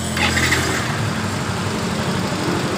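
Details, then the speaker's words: Yamaha Mio Fino scooter that stutters when hot and had a raised idle, after a manual reset (battery terminal off 5 minutes, key on 10 minutes): smooth, even low idle that settles and holds steady, no longer raised. "Langsam dari motor ini langsung normal, tidak naik seperti tadi ya teman-teman ketika kita mereset manual melalui aki."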